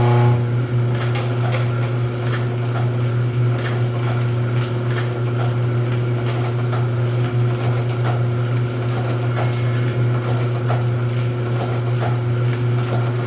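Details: Rosback 250C (318) 3-knife trimmer with CueFeed feeder, new DC controller fitted, delivery not running so books caught by hand: steady motor hum with evenly spaced knife strokes and light feed clatter, no grinding or binding; normal trimmer running cycle.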